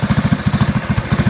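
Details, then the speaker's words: Predator 212cc 6.5 hp go-kart engine after intake, exhaust and carburetor jet upgrades, on a jack stand: loud, even, rapid single-cylinder thump of about eight firings a second, no misfire. Sounds healthy. "it's getting late it's really eff and loud and I love it"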